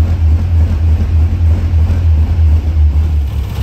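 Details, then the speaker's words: A 1957 MG MGA, started for the first time after years of storage, holds a low, even rumble and idles on its own after the idle screw was turned up slightly, though it still runs a little rough. "car is now idling on its own I did have to turn the idle screw up a slight bit"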